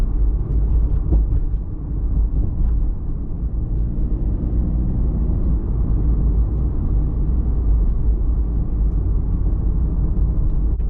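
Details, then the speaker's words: Toyota MKIV Supra interior while driving after hatch rattle fix: steady low road and engine rumble with no rattle from the rear hatch; other car noises remain. "Okay, back from the test drive, and as you may have noticed, that rattle is completely gone as far as the hatch goes."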